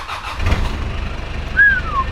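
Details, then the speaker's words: Australian 4WD diesel with manual gearbox and 297,000 km, in neutral and a little cold, glowed then started. Brief crank, then it catches quickly into an even diesel clatter with no misses. Compression sounds mint with no blow-by; the exhaust has a rust hole. "i can hear that that compression when you start it is just mint there's no blow-by in the motor whatsoever"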